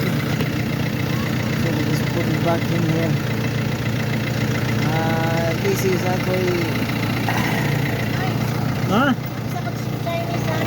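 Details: Mercedes-Benz with a no-start, no-crank complaint despite a new battery; after work on the hard-to-access starter under the engine cover it starts and settles into a steady, even idle with no misses or knocks. Normal idle.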